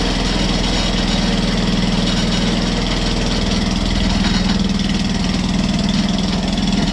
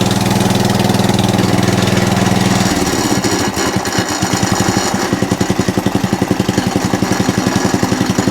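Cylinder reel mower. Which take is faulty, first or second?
first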